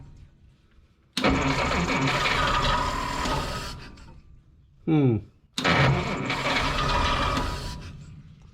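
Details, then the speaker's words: 1955 Willys Jeep wagon flathead, with gas leaking from the carburetor bottom: two long cranking bursts with ragged, uneven firing that never settles; sputters and struggles to catch. "H something sounds kind of funky well she's trying to run fellas something does not sound happy though"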